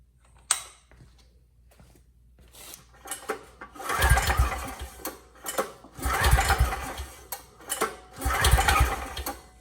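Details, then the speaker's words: Powermate 5000W generator with Briggs & Stratton Vanguard engine, seller reports burned, pitted piston: slow, uneven cranking bursts with little resistance; 30 psi compression versus about 60 normal with compression release, low compression. "okay well we got spark and well at least it's not zero it's uh 30 psi now this has a compression release so a normal reading would be about 60 so there is a problem somewhere"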